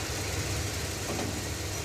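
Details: Stretched 1986 Chevy crew cab dually after bleeding hydroboost steering and brake hydraulics: steady, even idle with smooth low rumble, no chatter when steering or braking; only a throttle hesitation, suspected bad gas.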